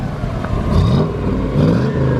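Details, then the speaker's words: V8 project car, previously suspected of knocking, running after exhaust was fabricated and fixed; exhaust full of oil from prior blown motor, cats breaking apart; deep burble rises and falls smoothly with throttle, no knock or tapping; runs like a sewing machine. "It's actually running. Thing is a sewing machine. So that was a big issue because we thought it was knocking potentially, but as you can hear it."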